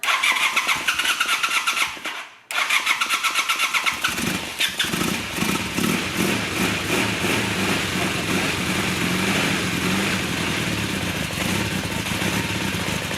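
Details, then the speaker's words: 1982 Honda 450 Nighthawk parallel twin, first start in over 8 years after carb cleaning, on choke; starter cranks, pauses, cranks again, then it catches and settles into a steady, smooth, quiet idle. "sounds really good really good smooth and quiet"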